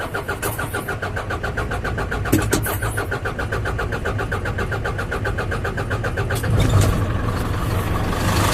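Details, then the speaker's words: 2011 Isuzu NPR/NRR 5.2 diesel, sat about a year, new batteries, fuel primed 2–3 minutes with hand primer bulb: slow even cranking about four beats a second, catches at once, settles to steady idle; normal cold start. "There She Goes well that was easy nothing to it just prime it up and crank it"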